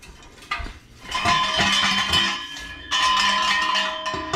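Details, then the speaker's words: 2001–2005 second-gen Honda CR-V, exhaust resonator pipe off the car being shaken: bright metallic clanking like a loose bolt banging around inside; loose debris in the resonator, replaced with a new pipe. "There's definitely something loose in there."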